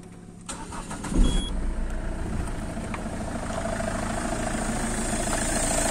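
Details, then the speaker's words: Peugeot 307 diesel after cleaning the capteur (sensor), engine cranks briefly, catches and settles into a steady, even idle with no knocks or misses; normal start and idle. "كرهب نظفنا الكابتن روم والكرهب رجعت امورها راكحه وبارك الله فيك، ما فماش حتى مشكلة، الموتور رجع متحد ورجي بارك الله فيه."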